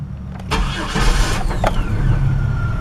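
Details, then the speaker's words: Car after Bar's Leak head gasket sealer for coolant leak and white exhaust smoke, warm after a drive: short crank well under a second, engine catches at once with little hesitation and settles into a steady low idle; normal quick start. "straight up right away it didn't really hesitate it just a little bit"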